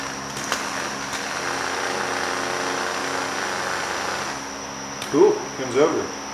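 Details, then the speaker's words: 1971 John Deere 140 H3 garden tractor starter removed and bench-tested: a steady, even electric whir held for several seconds with no grinding or dragging; the starter spins freely and is good. "so the starter is good no problem there"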